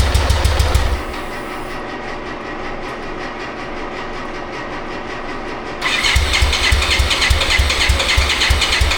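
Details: 1995 BMW K75RT that sat 9 years, after replacing the radiator fan and coolant temp sensor: lumpy, uneven firing that fades then picks up; rough running.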